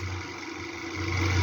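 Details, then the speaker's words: Arno fan running; steady buzzy motor hum with rough rattle from end-play in the fan shaft, fixed by wrapping a little electrical tape on the shaft. "tem folga. Só coloquei um pouquinho de fita isolante no eixo, empurrei a ele se acabou seu estó."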